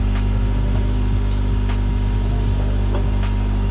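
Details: 2005 Honda Accord CM7, flood car, after A/C compressor replacement and recharge with about 20 oz refrigerant, new battery: steady engine hum with A/C on, even low drone with light regular ticking, no grinding or knocking; compressor runs normally.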